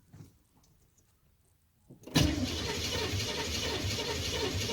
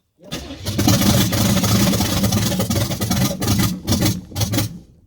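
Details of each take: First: Camaro engine cranking after setting ignition timing: near silence, then a sudden loud whoomp and rushing roar as it backfires fireballs out the carb; later traced to the harmonic balancer coming apart. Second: Camaro project after new harmonic balancer fitted and ignition timing reset; cranks briefly, catches cleanly and revs up and down in strong bursts with no popping back through the carb; starts and runs properly.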